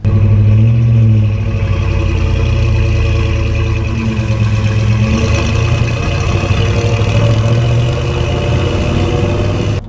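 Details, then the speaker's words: 1964 Ford Galaxie 500 XL, driving through second and third gears after new spark plugs and wiring harness, charging 14 volts: deep even rumble rising and falling, no rasp or leak tick, better than with open exhaust manifolds; normal exhaust note. "you know what it sounds a lot better now than it did with the open exhaust"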